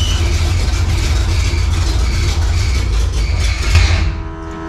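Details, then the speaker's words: Project drag car with newly installed NHRA driveshaft loop and re-routed fuel lines, very loud fuel pump: loud, rough lumpy running with uneven low beat, then abrupt cutoff; abnormal. "Well, that didn't sound good."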